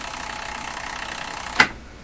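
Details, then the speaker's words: Sony TC-530 reel-to-reel tape deck: steady whirring wind ends in a sharp clack as the reels stop short; reel brakes grab. "if it would turn it would work so not enough pressure Happening Here hmm so too much drag not enough pull"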